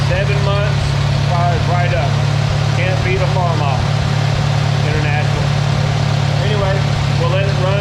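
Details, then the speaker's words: IH 140 tractor started following new radiator, hoses, belt and water pump; steady even low rumble at idle, no knocks or misses, chirping in background, transmission quieter than before; running healthy. "so everything is running sounds good i don't hear any weird noises a lot quieter in the transmission than it was earlier"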